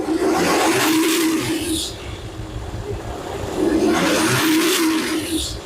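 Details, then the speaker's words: Boat engine just after a new turbo was fitted, on a very hot 34–35°C day: engine swells to a strong roar and eases back twice, smooth and even with no rattles or knocks; runs healthy. "We tried it. We tested it. We run the engine up. And it all looks like it's good."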